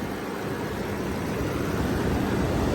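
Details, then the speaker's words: 2006 Range Rover Sport HSE with an overheating history, idling about 15 minutes after a cooling fix, hood open: loud, steady rushing roar over a smooth idle as the cooling fan runs on high. Normal, not overheating. "underneath the hood it's kind of cool engine sounds good fan is on blasting"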